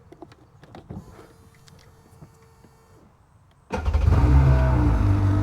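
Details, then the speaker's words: Sea-Doo GTX DI 951 with rebuilt engine, final crank on the trailer after sitting: quiet clicks and a brief whir, then it fires at once into a strong, even run. Normal start. "All buttoned up, ready to get out of here. One last uh crank now that it sat for a while."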